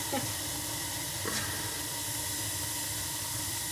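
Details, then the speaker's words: Old gas boiler, about 20 years, that had been clicking with no heat: after the ignition controller was replaced (not the gas valve), the pilot lights and the burner fires with a steady, soft, even roar; normal flame. "Alright, pilot's on. And we got fire. Ooh, awesome. That's a nice sound."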